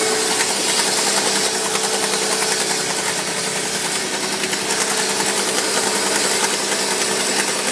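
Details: Mercedes G-Class engine makes a busy metallic rattle, pulsing three or four times a second, for a minute or two after every start, cold or hot, then goes away.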